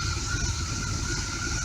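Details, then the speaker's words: RV with Chevy 454 V8, just fitted with new spark plugs and plug wires: slow, deep, lazy rumble idling low at only 500 rpm though vacuum is good; idle speed needs raising. "only 500 rpm we might have to goose her up a little bit but the uh inches of vacuum are pretty good"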